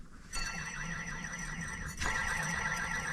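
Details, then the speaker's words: 2000 Ford F350 7.3 Powerstroke, top idler pulley that squeaked, spun by hand: gritty sandy rasp with faint squeal where it should be silent; rough bearing, replaced with Motorcraft part, now quiet. "You can hear how that's all sounds like sandy in there."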